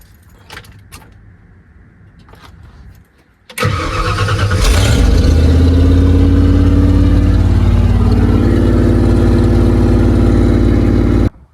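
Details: OBS Ford F150 after fuel pump replacement: quiet, then short crank that catches at once and settles into steady even idle; normal start and idle after repair.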